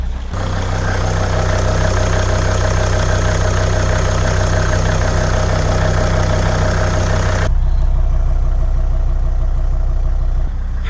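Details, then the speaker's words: 2003 Volvo XC90 D5 diesel on cold start idling steadily and evenly with a low rumble and no stumbles; it misfires and runs on four cylinders once the throttle is touched. "Right, so just to demonstrate the behaviour I'm getting, if I fire the car straight up on a cold start, we're getting a normal idle."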